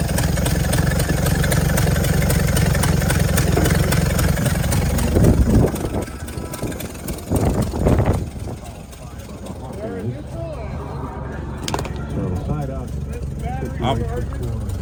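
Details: 1964 Chevrolet C60 grain truck, inline 292 six, four-speed with high-low rear end, first start after fuel line work: engine catches and settles into a steady low rumble for several seconds before dropping away; starting and running.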